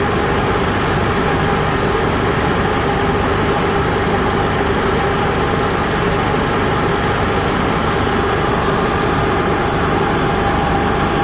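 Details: Onan Cummins QG 7000 (HGJAB) generator running after fuel pump priming: loud, dense, unchanging drone with no misses, knocks or surges; normal generator idle, no load.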